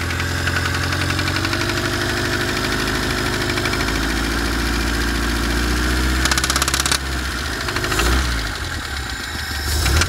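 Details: BMW E30 with M10B18 engine at idle: an irregular, intermittent knock that comes and goes over the low rumble; owner unsure of the source and asks what it could be.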